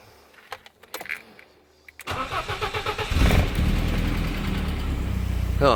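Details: BMW E30 318iS, about 30 years old, that sometimes struggles to start (vacuum leaks suspected): a few key clicks, about a second of steady cranking, then the petrol engine catches promptly and settles into idle; started perfectly today.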